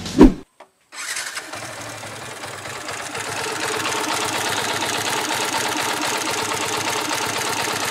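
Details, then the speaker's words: New Yamaha Vixion NVL motorcycle engine starting and idling with a fast, dry ticking clatter from the cylinder head. Top-end ticking noise. "สวัสดีเพื่อนๆผมเคยเจอเสียงจั๊กจี้ที่หัวเครื่องของvixionnvlใหม่โอเคตรวจสอบเสียงนี้"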